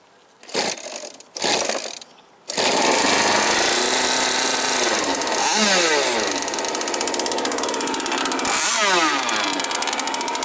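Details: Jet boat engine on a river trial after an impeller change: very loud, raspy two-stroke revving with a harsh crackling bark and no damping, running with the silencer removed. The motor mount came off during the run.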